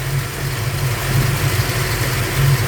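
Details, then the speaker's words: Ford Falcon 302 V8 at idle running rich: after leaning each carburettor mixture screw a quarter turn clockwise the low steady idle rises and smooths; idle speed increases after mixture adjustment. "I can hear that engine pick up a little bit already so let's go to the secondary quarter a turn RPM's Rising engine's much happier"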